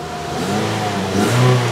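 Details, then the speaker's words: Toyota Vios Gen 3 revved to about 4–5k rpm during a final check after upgrade work: a clean, dry rev with no metallic ticking or roughness as it rises and falls. The engine is healthy. "Nah, biasanya kalau mesinnya bermasalah itu ketika dia turun atau ketika dia naik gas itu dia ada suara kritik-kritik itu dari metal ya kan, suara mesin kasar, terus suaranya nggak kering ya. Kalau ini kan suaranya masih kering banget nih."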